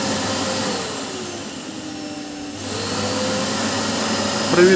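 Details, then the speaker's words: Samsung SC8870 vacuum cleaner after its stalling VCM-M30AU 2400W motor was replaced: on remote speed changes the motor whine glides down, holds low, then climbs back cleanly with no grinding or stutter; speed control works normally. "the remote. Decrease, increase, turn off... Everything is fine."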